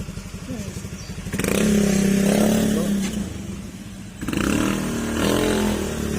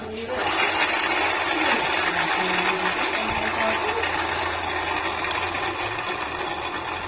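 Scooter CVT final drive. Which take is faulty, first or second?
second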